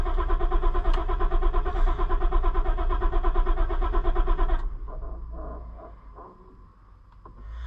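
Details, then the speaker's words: Auction-bought cheap Ford Super Duty after new fuel pump control module: even rhythmic cranking about 4.5 seconds, never fires; no fuel pump heard, owner expects to replace fuel pump too; module didn't fix it. "well that's pretty sad ain't it I thought sure okay enough now I thought we were going to fix it with that but I guess we're not"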